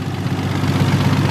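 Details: Nissan R33 Skyline after fixing faults, timing confirmed correct, engine at about 60°, viscous fan, good oil pressure: steady, even low idle with no misses, knocks or hunting; smooth, healthy warm idle.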